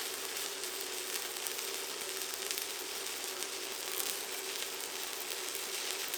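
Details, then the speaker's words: ProWELD MMA 220Puls stick welder, 3.2 mm electrodes at about 160 A on roughly 6 mm steel: even, uninterrupted frying crackle with no sputtering as the rod burns down; easy arc start, a stable arc and a steady bead. "इस एम्परेज पर, इलेक्ट्रोड बहुत आसानी से प्राइम हो जाता है और electric arc पूरी तरह से स्थिर होता है।"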